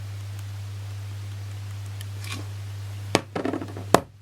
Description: The S Pen button is loose. So when I touch the display it makes rattle noise.